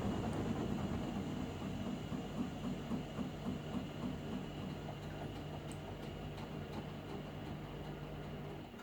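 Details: Hotpoint appliance: a low running hum with light, fairly regular clicks about four a second that fade slowly; the source of the clicking is unknown.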